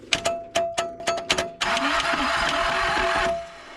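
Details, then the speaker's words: Toro Groundsmaster 223D diesel mower, abandoned for decades on a farm: starter turns over slow and labored in uneven bursts before spinning weakly. "It's definitely going pretty slow. So, before we get this solenoid installed, I turn the key and it's not pulling back at all."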